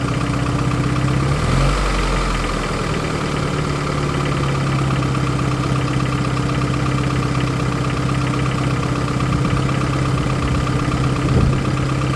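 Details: 1993 Geo Tracker petrol engine idling and revving with an uneven, off-beat clatter over the running note. Owner suspects rod knock, not confirmed.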